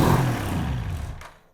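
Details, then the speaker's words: Motorcycle that cranks but won't start, starting fluid sprayed into carburetors with air filter removed: engine catches and roars briefly then dies within seconds, running only on the spray, pinpointing a fuel delivery problem. "you can see that adding a small amount of starting fluid made the engine run for a short time since it did not stay running we have pinpointed a fuel delivery problem"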